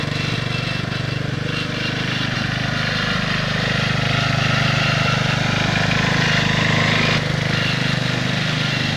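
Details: 1969 Bolens 850 tractor, Wisconsin S8D 8.25HP single-cylinder, run after carburetor initial adjustment while tuning points: held at high revs, rough uneven tapping over exhaust note; knocks badly at high RPM, also idles poorly and smokes; cause not pinned down.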